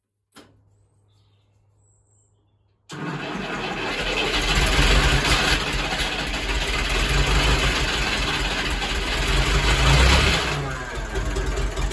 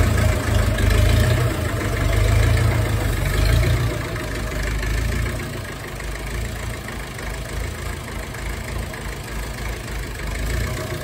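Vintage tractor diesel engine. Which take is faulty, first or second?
first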